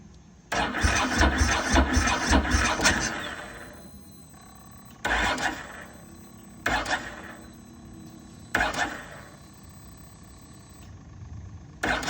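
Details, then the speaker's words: 2006 Ducati ST3 after replacing broken S-shaped hose and reconnecting fuel pump-to-filter hose: one long crank then four sluggish bursts, never catches; cranks but no start, blamed on low battery, to be charged or jumped. "okay August it doesn't start out because the battery is too low so we're gonna put her in the battery tender for a little bit"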